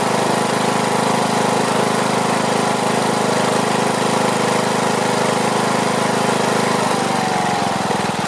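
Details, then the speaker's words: Briggs & Stratton Platinum 21hp mower engine after topping up oil, old air filter on: steady fast-idle putter with slight unevenness and wavering note; runs, owner plans carburetor cleaning and adjustment. "well I think that's got it just got to let all that stuff burn off well I have to say it's running you know I'm still paranoid about it but uh I guess all I need to do is just tweak it"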